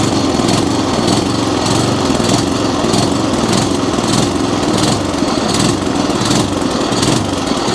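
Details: Atco Commodore B17 cylinder mower, restarted with a little choke: revs rise and fall in a repeating pulse instead of holding steady. Engine is hunting and surging because it runs lean, with not enough fuel coming through the fuel delivery.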